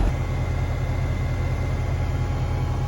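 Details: Pentair UltraTemp heat-pump pool heater (part 46932, made 2011) after maintenance, cover closed: deep steady fan and compressor hum with faint even tone, no rattles or scraping, then cuts off; normal running.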